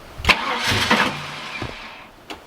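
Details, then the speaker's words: Holden VN SS Commodore 5.0L V8 after sitting for years, new fuel pump fitted: a few cranking bursts and a brief catch that fades without idling; fires but won't keep running, owner suspects pump not picking up fuel as car sits unlevel. "What I'm going to do is put it down on the ground to level the tank out, so hopefully it picks up fuel, because I think that's going to run."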